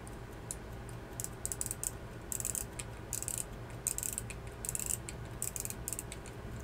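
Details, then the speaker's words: Late-1800s AWC Waltham full-plate pocket watch during reassembly after cleaning and oiling; rapid, light, even clicking as the crown is wound, no catches or grinding, winding ratchet runs smoothly. "feels smooth there yeah let's turn into gears"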